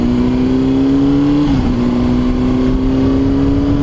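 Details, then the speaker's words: 2005 Honda CBR600RR, 29,742 miles, valve check done at 20,000 per the previous owner, ridden hard: the engine note climbs steadily, dips at a gear change, then pulls cleanly over wind noise. Normal, strong acceleration. "Yeah, as you can see, it pulls strong, drives straight for the most part."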